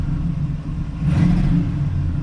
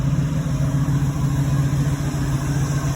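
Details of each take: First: 1986 Oldsmobile Cutlass 442 with Quadrajet carburetor, after original parts refitted. Engine bogs and hesitates as throttle opens, then catches and climbs unevenly; new bad stumble with check engine light; codes 13 and 22 point to faulty TPS sensor readings. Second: 1986 Oldsmobile Cutlass 442 with Quadrajet carburetor, after TPS adjusted to read 0.93 (still slightly high), following hard starting and TPS codes. Steady low rumble, even idle, no stumble, surge or miss; running a while with no check engine light.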